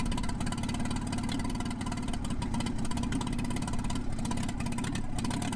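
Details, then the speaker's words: 1986 Toyota 4Runner, warmed up, after tightening a loose clamp, adjusting the idle screw, cleaning the throttle body and adjusting timing: a loud idle with a low drone that swells and sags as the speed hunts. The idle is still surging. "I didn't catch it on tape, but I did do that on that initial startup, and you can still hear it. It's still surging, but we're definitely gonna fix that."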